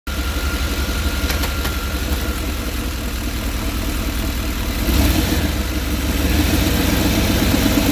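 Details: 5.7 L TBI V8 idling with interior engine cover removed: loud, rough-edged rumble with raspy puffing from an exhaust leak somewhere in the engine compartment, running louder than normal.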